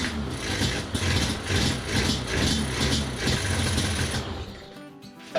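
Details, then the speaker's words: Yamaha Banshee 350 two-stroke with non-stock carburetors, after mixture screws reset: ragged, smoky running that dies off within seconds once off throttle; still won't idle, owner suspects throttle safety switch. "still Smokey I don't think it's quite as smokey and it still doesn't idle"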